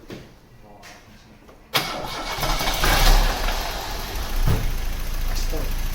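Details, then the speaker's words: 1991 Cavalier GL, C20NE 2.0 bottom end under SRi 130 top end, lifters and cam swapped without fix: rough idle with dull regular bottom-end knock; big ends thought to be knocking, engine declared scrap. "Well, situation is, sounds like the wee ends are knocking on that C20NE bottom end that I tried to fit to the SRI top end."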